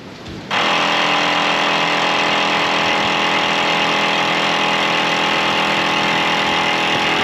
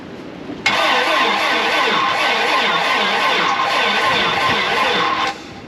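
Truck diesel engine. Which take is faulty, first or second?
second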